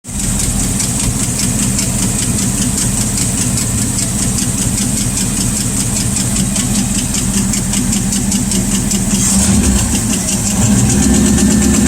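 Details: Rat rod V8 idling with a sharp, steady valvetrain tick of about four clicks a second; owner hoped a sticking lifter would pump up, and removing the valve cover revealed a bent pushrod.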